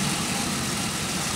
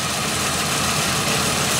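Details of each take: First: 2001 Pontiac Aztek GT, 170,480 miles: steady even idle hum, no ticks, knocks or squeal, though running shaky; engine otherwise sounds normal. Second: 2001 Pontiac Aztek GT, 170,480 miles, after sitting a year: a steady airy hiss over a rough, shaking idle, with no ticks or knocks. Vacuum leak traced to a cracked vacuum line end.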